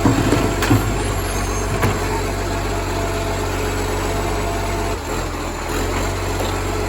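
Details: Moreland garbage truck #FN11487, a spare 22m flat-faced Acco-cab diesel with a massive exhaust leak, recorded from the exhaust side: deep, raspy roar and rough low chuffing at idle, insanely loud, almost Euro 3-like.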